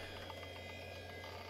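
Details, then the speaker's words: Roughly 30-year-old Quantum Fireball 540 MB IDE hard drive (BIOS detects 520 MB): typical initialization sound at power-up, a steady spindle hum with a faint high whine and light regular head ticks, which sounds healthy. "we hear that typical initialization sound let's go into the BIOS and see if we can detect it"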